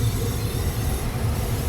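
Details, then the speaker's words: Gas furnace after its failed control board was replaced with a Honeywell universal board; burner lit and heat appears to be working. Deep, even roar with a steady low rumble, no popping or surging; normal operation, though the new board's LED flashes a code. "But it would appear that the heat is working."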